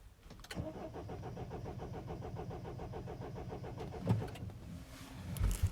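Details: 2007 Mini Cooper D diesel (likely R56) cranks evenly for about three seconds but never fires; fault code 4A63 EWS tampering, EWS immobilizer module suspected; crank no start.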